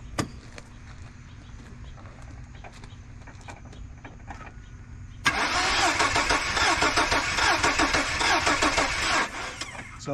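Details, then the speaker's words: 2002 Chevy S-10 Blazer Xtreme with a crank-no-start complaint: the starter cranks with an uneven, lopsided rhythm for about four seconds and never catches; suspected low compression on some cylinders. "I don't know if y'all can hear it it's got that weird Galley dude typically is an indication that you're down on compression on some cylinders"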